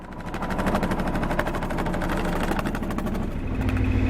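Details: 1978 Yanmar YSB8 small marine diesel in a sailboat, sitting 10+ years in a flooded boat, now running: quick, even beat with steady firing pulses, no misses or knocks; shifts into forward and reverse fine, engine slightly warm afterward. Healthy running.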